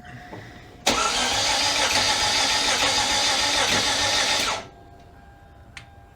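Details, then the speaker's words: 2011 Hyundai Genesis Coupe, first start after engine replacement for low compression: starter grinds steadily for about four seconds at an even cranking beat but the engine never catches; extended cranking, no start, cause unconfirmed. "That doesn't sound very promising. Crank it some more."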